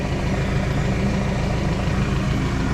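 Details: ER 150N scooter, 3 months old, 5k odometer, after a no-start and battery check: steady low idle with dense rumbling drone; noisy CVT, variator opened for setup with MXI belt.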